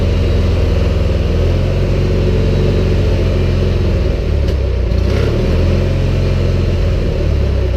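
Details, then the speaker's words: Cub Cadet 1811 lawn tractor single engine, just started with the choke fully on and warming up before an oil change: it chugs low and uneven and sags as if about to stall, a rough low idle. Lights flicker amid electrical problems. "Sounds like it's trying to die on me. It really doesn't want to stay down low."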